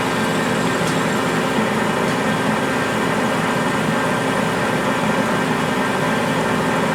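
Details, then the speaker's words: Accusize QTR 22 parting tool on a lathe, parting 303 stainless at 180 rpm under power feed without lube and with long stick-out: a steady, even cutting hiss over the spindle whir with no chatter or squeal; a clean, normal parting cut. "any problem 303 stainless power right through it without even having any issues whatsoever"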